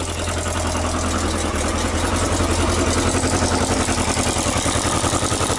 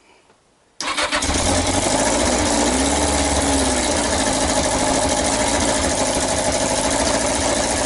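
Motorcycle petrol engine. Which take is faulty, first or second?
second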